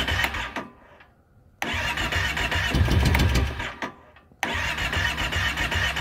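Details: 2012 Kawasaki Brute Force 650i ATV cranking. Repeated short starter bursts with quiet gaps bring no firing or pickup at all: crank, no start.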